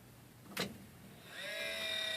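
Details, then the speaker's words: 3D printer cooling fan on the backup printer: soft click, then a fan spins up into a steady, loud high whir with a clear tone, while new extruder fan mount is being tested. "That noise is this fan back here on my backup printer."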